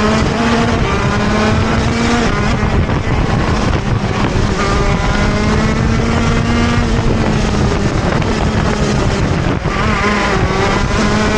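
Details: TM Racing KZ-R1 two-stroke go-kart engine at full song on track; revs sag and stumble briefly pulling out of corners: engine bogs on acceleration out of corners, cause unclear.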